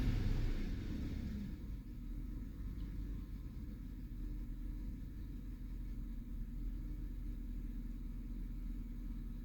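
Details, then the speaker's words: 2009 Chevy Silverado 5.3L with oscilloscope on the misfiring cylinder 2 plug: uneven, lumpy low idle with an irregular stumble, the truck shaking more on a light rev; cause is a badly burnt cylinder 2 plug with a closed gap. "voy a poner el canal a donde está la la bujía que está que está fallando donde está haciendo el misfire lo voy a acelerar [Música] poquito í se siente que tiembla más el carro ahí está temblando está temblando"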